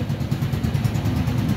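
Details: Kawasaki KR125 two-stroke after fixing wiring where regulator AC output was connected to DC, which kept blowing fuses and caused hard starting and misfiring: steady low putter with an even beat, no misses or knocks; idling cleanly.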